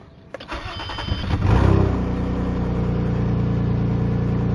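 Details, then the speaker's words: V6 catalytic-converter plug test with both oxygen sensors pulled, leaving open ports ahead of the converter: short crank, quick catch, then a loud raspy lawnmower-like rumbling idle; exhaust leak from the open oxygen sensor ports. "and now your car is going to sound like a lawn mower really by the way if you have dual exhaust or two of these you need to take out both of them"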